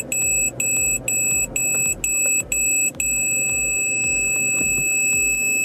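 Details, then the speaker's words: Peugeot 308 reversing at night toward an obstacle: owner-installed aftermarket rear parking sensors beep about twice a second, then hold one unbroken tone; working correctly. "Aici sunt senzorii de parcare. Ceea ce se aude sunt senzorii de parcare aftermarket instalați de mine."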